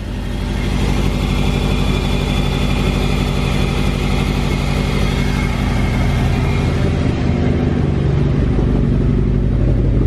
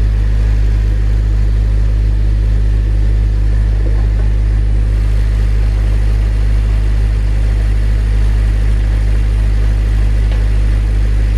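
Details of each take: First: Car with a nearly dead battery, jump-started cold in below-freezing Texas snow: loud, uneven, wavering low chugging, as if about to die, with lots of smoke. A rough cold idle. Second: Honda Civic Si cold-started in below-freezing Texas snow: it fires and settles into a smooth, even, deep rumble with no knocks or misses. A healthy cold start.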